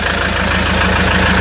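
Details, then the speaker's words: RAM ProMaster 3.0L diesel after EGR valve and throttle body reinstalled, fixing limp mode with codes P0402 and P0101; engine bay check. Smooth, even idle with steady firing beat, no knocks, rattles or hiss; no leaks. "so as you can here the engine is running so now let's go back under the hood and do a visual inspection it sounds good"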